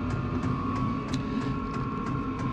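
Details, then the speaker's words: Vevor diesel heater running in a cabin mechanical room as temporary winter heat, settled after startup: steady fan hum with soft, even fuel pump tick about three times a second; quieter once it smooths out, normal running. "Okay. Once it gets going and smooths out, quieters down some. I'm not too worried about the noise because uh when I'm over in the other part of the cabin, you won't hear anything."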